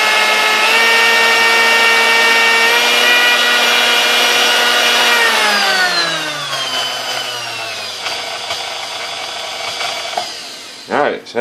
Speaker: you taught I run smooth through all the gears and it's ready to go